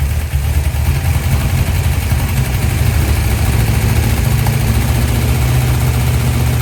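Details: 1972 Dodge D100 V8, first start after solid roller camshaft and Speedmaster 265cc heads installed. Low heavy rumble with uneven stumbling beat never settling to steady idle: rough running, cause not confirmed.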